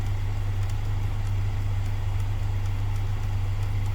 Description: Since it was occuring during climate control operation and adjustment, I managed to record the blend door actuator on the fritz.